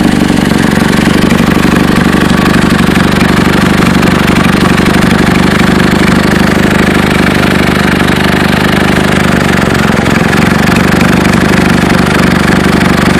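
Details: Chevy Cobalt at idle: fast, sharp puffing tick about four a second over the exhaust note; suspected exhaust leak, owner unsure whether flex pipe, manifold or both.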